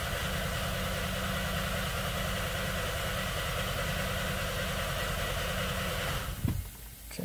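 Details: 2015/2016 VW Beetle 1.8 turbo GDI, crank-no-start with no relevant codes, adequate fuel pressure and a crank signal: starter cranks at roughly three turns a second for six seconds, never firing; about 117 psi on exhaust stroke suggests catastrophic internal failure.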